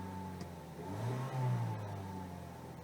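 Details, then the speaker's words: Mazda 6 2.0, which had an erratic, wavering idle and high fuel use, restarted after cleaning the throttle body and MAF sensor: revs swell and ease slightly, taking a long while to settle, but it runs okay. "okay see be taking a long while to settle back down but she's running okay"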